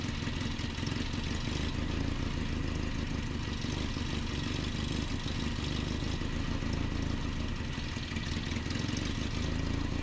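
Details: 1988 Nissan D21 truck, 2.4L Z24 engine: low, uneven, lumpy idle with some clatter and surging; rough idle being diagnosed, vacuum line suspected, cause not confirmed.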